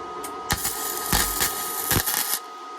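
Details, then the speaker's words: Hitbox MT2000 gasless flux-core MIG welder, amps and voltage turned down for thin sheet, seam-welding a rust repair panel on a 1967 VW Splitscreen: short even crackling sizzle like frying bacon, no harsh popping; welds good. "Got it fitting quite good. Happy days. Sizzling bacon. Absolutely perfect."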